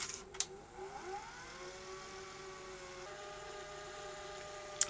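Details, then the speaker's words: Sony SL-HF950 SuperBeta Betamax VCR under repair, tape rewinding smoothly with a quiet whirr rising and holding steady after earlier sticking; reel drive judged probably okay, capstan servo still faulty and squealing. "So, we think that the real drive is probably okay. And it's rewinding nicely now"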